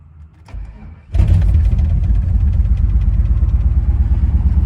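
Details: 1997 GMC 3500, 7.4L Vortec 454, running very rich with raw fuel smell and a blown-out muffler: cranks into uneven, loping, stumbling idle; misfire from a fuel injector stuck open on cylinder 6, fuel pressure bleeding down.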